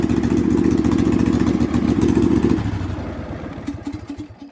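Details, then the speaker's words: Husqvarna LGTH 24V54 lawn tractor with muffler broken off and cracked, before welding repair: loud, raspy, uneven exhaust bark from the small single running fast, far harsher than stock; exhaust leak from the broken muffler. "I think I can line it up bit of a crack going on there so I'll clean this up and weld it back on and we should be back up in business she's a little loud right now"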